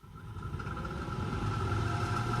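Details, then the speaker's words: Chevrolet heater blower motor running at top speed after fixing the resistor connection. A steady whir over a rough, uneven rumble; the motor is noisy and the owner thinks it needs replacing. "Bon alors, le moteur fait du bruit, je pense qu'il est bon à changer."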